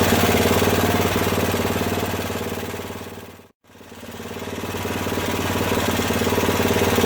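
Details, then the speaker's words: Craftsman 13hp OHV Tecumseh rear-engine tractor after valve work and idle-jet tuning, running hot; single cylinder thumping about four beats a second with uneven pulses and a little clatter; rough running, owner suspects fuel system or float. "so it's idling well it's adjusted enough for now i hear a little clatter"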